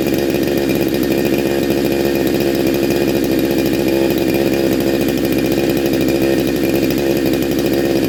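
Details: Neo-tec NH872 chainsaw (372XP clone) with a big bore kit, on a hot day, during a cold start on its second heat cycle. It holds a crisp, even high two-stroke buzz with clean revs and no misfire or rattle, sounding awesome and healthy.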